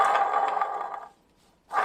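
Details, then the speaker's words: Jaguar XJS V12 water pump, removed and spun by hand: a loud, coarse growl on each spin from a badly worn pump bearing. The pump is being replaced. "Now that's a really bad water pump. Good thing we're replacing it."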